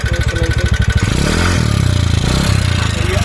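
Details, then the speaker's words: 2019 TVS Ntorq scooter revving with uneven rattly mechanical clatter under the exhaust note; piston and timing chain work planned, white smoke also reported; engine mechanical noise. "ये देखिए इसमें ये एक साउंड की प्रॉब्लम आ रही है, ये साउंड आवाज़ आ रही है इसकी।"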